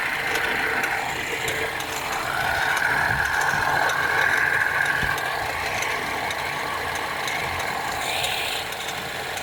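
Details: BMW 316i F30 at cold idle on the first start of the day: light, fairly steady tick about three to four per second over engine hum, from a bad radiator/AC fan belt tensioner, to be replaced before it breaks.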